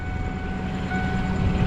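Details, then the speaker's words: 1998 Ford Mustang GT, 4.6 V8, 5-speed manual, stock exhaust, cold start idle: steady high whine over low rumble that disappears when the clutch is pressed. Throwout (release) bearing or pilot bearing suspected. "that noise that you hear is the uh the throttle bearing or the pilot bearing one of the two because as soon as you press on the clutch the noise goes away so i got to work on that as well"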